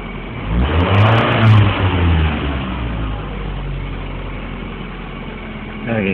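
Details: Ford Mondeo engine revving up and dropping back with an uneven, stumbling beat under the exhaust note that never smooths out; misfiring.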